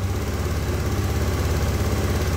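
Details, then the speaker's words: 2014 Honda Beat scooter after replacing a weak fuel pump (spec 263–361 kPa) that caused sputtering and stalling: fast, even idle with steady low throb, revs now accepted but idle too high, needs idle screw turned down toward 1600±100 rpm. "nah tuh udah bisa digas teman-teman jadi tinggal dikecilin aja rpm-nya"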